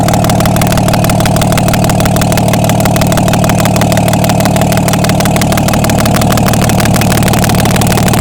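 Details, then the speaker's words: Diesel truck whose turbo failed 12,000 miles after replacement, run during repair: steady, even diesel clatter at idle, about three beats a second, no misses or knocks; all cylinders firing, normal idle. "Sounds good to me. Yeah, all the cylinders are hidden."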